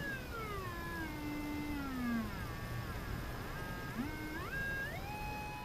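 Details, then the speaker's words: Emerson R-156 electrodynamic speaker, new field coil and original cone refitted, field coil not yet energized, audio generator into output transformer primary: clean tone swept about 15 Hz to 1,600 Hz, no voice coil rattle. "that's pretty good there it's 15 Hertz 20 30 40 60 I don't hear any rattling of the voice coil that's a hundred 1,600"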